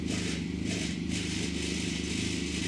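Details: SPEED UTV just after an oil change, cold start: steady, even note with a light uniform rattle, no knocking or tapping; immediate oil pressure over 100 PSI while cold, no air in the system, healthy.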